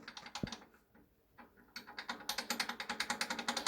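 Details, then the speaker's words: Polish BR232 locomotive KT6 turbocharger, rotor turned slowly by hand: light, quick ticking clatter from loose turbine blades shifting within their play and rattling. "ale wcześniej w momencie kiedy ręcznie napęd wzięło się wirnik torba nie było słychać takie lekkie klekotanie właśnie będące wynikiem luzów upadek które po prostu kiedy zjeżdżamy na dół opadały znaczy wysuwały się że tak powiem w miarę tego luzu które mają dostępne i hałasowały sobie"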